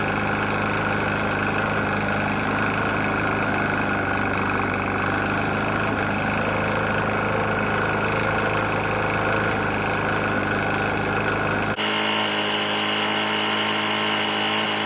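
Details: Briggs & Stratton engine on a Murray E450 mower, found almost out of oil and topped off: steady run with a hard, dull, nasty knock underneath; the bottom end sounds worn and near failure.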